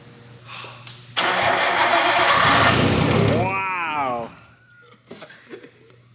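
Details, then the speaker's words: Nissan R32 Skyline on a fuel cell, no exhaust, first start after four years: it cranks, catches with a rough roar for about three seconds, revs briefly, then dies. Brief start then stall; partial misfire suspected. "that was like three seconds but it sounded so good hold up hold up let me get on the throttle"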